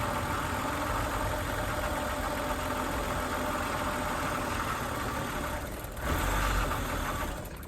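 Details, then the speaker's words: 2001 BMW E39 AC Schnitzer 528i first start after sitting roughly five to seven years, following front-end and door replacement: uneven lumpy petrol idle with irregular stumbles and dips, won't hold idle; rough idle. "all right well there you have it she starts up she's not idling but she definitely starts"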